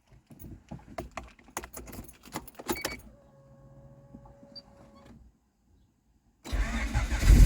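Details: New H23 VTEC Frankenstein engine in CB9 Honda Accord, cold start after installing the missing oil squirter port plug and 5 quarts fresh 10W30: cranks and catches cleanly into a strong even run; 44 psi oil pressure, previously 0.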